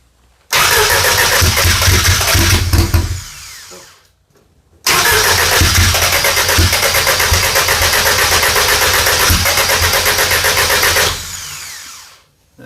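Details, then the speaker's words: Audi drag car, GTX4508R 80 mm turbo, FuelTech ECU, first fire-up attempt: two long bursts of steady starter cranking, never catching; still very rich (fat), crank no start from running rich. "isn't moving any it's staining still super fat what does the nano say"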